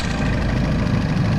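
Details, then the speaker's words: 2011 Mini Countryman S (R60/R18 engine) after replacing failed crankcase vent (PCV) membrane: steady, even idle with no whistle or stumbling; whistling at idle seems gone. "sounds better but we're gonna let it uh idle outside for a bit"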